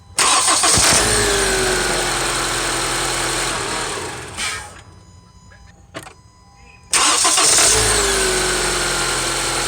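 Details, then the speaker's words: Honda CR-V that previously only clicked when trying to start, after starter replacement and battery reconnection: brief even cranking, then the engine catches at once and settles into a steady idle. A normal, healthy start. "there's another you know it starts right up now okay that's what it's supposed to do"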